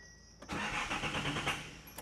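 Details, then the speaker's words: Datsun 280ZX (S130) cranked with the clutch to the floor: steady fast whirr of the starter spinning the engine over, with no firing at all. It cranks but won't start, and later fires on starting fluid. "clutches to the floor I'm going to see if it'll crank"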